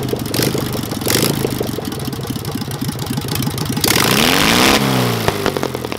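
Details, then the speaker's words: Engine with a Solex 30 PICT carb, just restarted after the needle valve was replaced and with timing near correct: it catches and revs unevenly with irregular pops and a light tapping. Popping and tapping, suspected to be partly a valve problem, not confirmed. "yeah she's popping somewhere but i'd say some of it could be valve problem i don't understand let it cool down and check the valve appearances yeah you shouldn't do it hopefully that popping sound will disappear"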